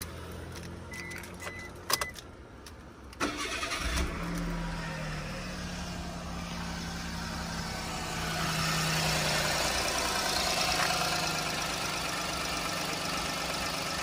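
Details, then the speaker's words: Suzuki Wagon R with small turbo intercooled engine, about 64 hp: quick crank and catch, then smooth even idle with steady hum, no misses or knocks; runs well. "Bom dia coisinha dele aí o carro tá funcionando redondinho e dar partida no carro para vocês verem"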